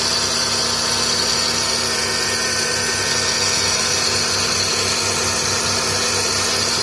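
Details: Chevrolet Celta petrol engine idling, rough rhythmic pulsing and hiss from the accessory belt area; alternator, water pump and old belt were suspected; sound traced to the accessory belt tensioner bearing.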